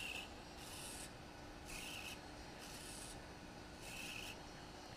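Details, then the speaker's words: DJI Phantom 2 Vision camera pitch gimbal after replacing the servo with a reversed Hi-Tech HS-5055MG digital servo: faint short whirring bursts, no typical OEM servo whine, only slight fan whine; quiet normal operation. "notice the quiet operation even when it sits here all by itself"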